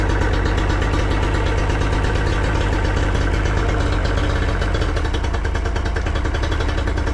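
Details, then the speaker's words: Yamaha 40 hp two-stroke outboard at idle: low, uneven burbling idle with irregular stumbles, blue smoke and unburned fuel, bogging or stalling under load; fuel delivery or ignition problem suspected. "What happens at idle or low speed? The engine runs a little bit rough and has blue smoke and signs of unburned fuel in the exhaust."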